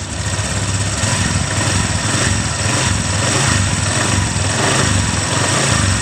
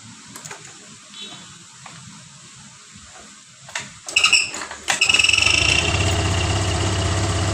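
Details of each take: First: Honda Vario 125 (first-generation) scooter, after fitting a new NPP CKP sensor to fix ACG starter not working: steady, even putter at constant low idle with no misses or surges; engine idling cleanly. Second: First-generation Honda Vario 125 (old) scooter, electric ACG starter not working, kick-started several times with a rattling noise only during starting attempts, noise gone once running; hard starting, faulty crankshaft position sensor.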